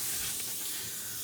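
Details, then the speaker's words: Road tubeless tire just set up from scratch, bead seated with the air compressor, then pumped to 80 psi with a hand pump: a steady sharp hiss of air escaping before the sealant is shaken around inside the tire to seal it. "So after the compressor is seated the bead, I'll just take it off and with a hand pump, pump it to 80 psi. Okay, so I put 80 psi in it, and you can hear some air."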